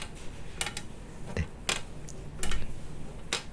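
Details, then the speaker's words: Plastic creaking from the front sun visor's plastic extension panel of a Daiso car sun visor as it is flexed in a quiet cabin; six sharp, dry clicks and creaks, flimsy build, durability doubtful. "삐걱거리는 소리 들리시죠요 앞쪽 선바이저 유리 부분 플라스틱으로 된이 부분에서 이 부분에서 소리가 좀 나는 것도 있고요"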